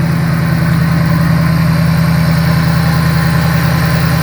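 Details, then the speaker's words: Supercharged V8 Shelby GT500 after timing chain tensioner repair: smooth, steady idle with only faint injector ticking; the earlier chain noise, mistaken for rod knock, is gone. "All you're hearing is the injectors. Yeah, that sounds nice. That's a definite improvement from the first day we saw this car."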